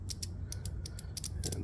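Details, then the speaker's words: 2001 Suzuki TL1000R fuel injector, removed and bench-tested by tapping 12 volts on and off rather than holding it on, which would burn it out: several sharp, crisp clicks in under two seconds. It is working electronically. "You can hear the click, you could feel the click, and then you know it's electronically working."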